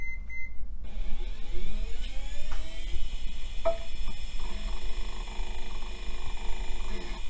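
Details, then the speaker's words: Mid-1990s Gateway 2000 hard drive, dry-fire test: short beep, then whine climbing in pitch and settling into steady spin; drive initialized normally, voltages fine. "all right sounds like the hard drive initialized we got nothing weird going on with the voltages so I think we're good"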